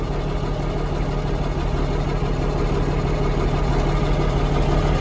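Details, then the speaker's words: 1979 Kenworth W900A diesel warming up in cold weather, less smoky, oil pressure 70: deep, even rumble at steady idle with no misses or knocks; normal idle while warming. "I was just trying to warm up the motor. She's not as smoky now. So it must be starting to get some temperature."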